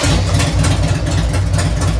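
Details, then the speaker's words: Harley-Davidson Sportster 883 converted to 1200 with Wiseco pistons, rings and cylinders, first start on heat cycle, about 79 degrees, 105 on pipe: loping V-twin idle, even beat, no ticks or knocks; sounds healthy. "Wow, don't sound bad. I'm supposed to rev it."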